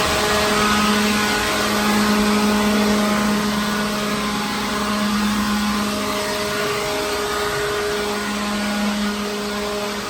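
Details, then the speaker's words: Second-hand leaf blower clearing dirt and loose particles from a truck trailer. Steady even whir at one pitch, no surging or rattle; normal running. "But this thing's pretty good. I got most of the big stuff out, the big particles and whatnot."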